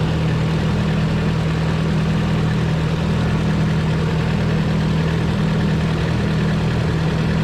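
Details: 240 idling right after start to check a newly installed oil temp sensor for leaks; none seen, and the sensor reads. Steady low rumble with an even, settled idle and no knocks, ticks or whine; running smoothly and healthy.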